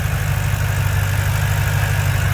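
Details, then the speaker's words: Ford 4.6 3V V8 after ported heads install and timing set replacement, stock tune with MagnaFlow catback: steady even idle with light fast injector tick on top, no valve train noise; normal idle. "But yeah, no valve train noise. That is the injectors that you're hearing."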